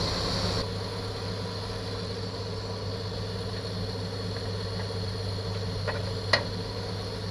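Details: 1964 Chevy II six-cylinder, sat for years, smokes a little after first revival: smooth, even low idle with a steady hum and no misses or knocks; normal idle.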